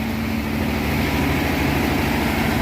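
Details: 1957 Ford Thunderbird, 312 Y-block, 86,000 miles, first start after 35 years off the road: a steady, fast, even drone well above normal idle, smoky as trans fluid burns off; owner suspects a vacuum leak, possibly the oil filler neck vent tube.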